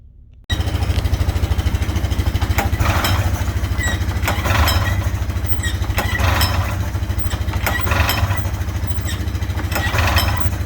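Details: 1998 Polaris Indy 500 two-stroke snowmobile, bought after sitting for years with gunked carbs and bad old gas: revs blip up sharply several times and drop back to steady idle, climbing smoothly; engine pulling acceptably.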